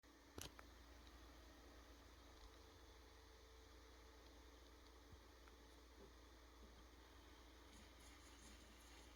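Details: PS5 console with the Delta fan (Nidec-fan units hiss and whistle more): a very faint, steady airy hush with a thin constant tone and no rattle or whistle, which is how a quiet, normally working PS5 should sound.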